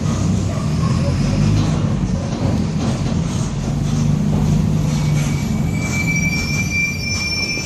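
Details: 2007 Torino city bus on Mercedes-Benz OF-1722M chassis (Grande Londrina 4178) under way: steady engine drone, then a thin whine near the end from a worn, growling differential.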